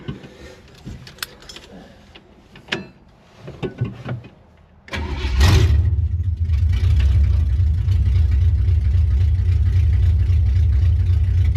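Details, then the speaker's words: 1967 Chevy Impala small-block V8: quiet handling noises, brief crank, engine catches immediately and settles into a steady, deep, even idle; normal quick start. "It just fired right up. That's pretty nice. It's the first time we've had loyalty like that from an engine."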